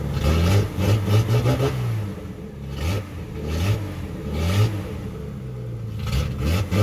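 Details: 1976 Datsun 280Z, first start after sitting four or five years, open exhaust: loud unmuffled blips up and back to idle several times, picking up cleanly; runs well; won't restart hot, owner suspects distributor.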